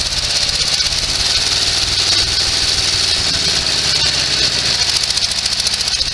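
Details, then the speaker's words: Sears SS16 garden tractor with an Onan twin, revived after years sitting, mower deck engaged. The twin chugs unevenly and lopsided under the deck's hiss and rattle. It is running on one cylinder, cause unknown. "lower deck does engage but for some awful reason it's running on one cylinder now"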